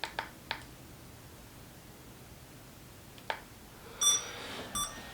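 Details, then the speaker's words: Fimi X8 SE drone switched on with a short click then a long click: a few short, high electronic chirps, then a brighter beep a few seconds later; normal power-on startup beeps. "And you hear the beeps out of the drone. There it goes."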